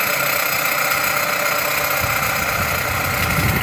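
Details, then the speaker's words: Chrysler/Dodge engine (Avenger, Journey or 200) at idle: a steady rough whirr, loudest at the rear of the alternator. The alternator vibrates to the touch while the A/C compressor does not, and a hose stethoscope confirms the alternator is noisy. "Pues de volada sacas que el problema viene de la del alternador"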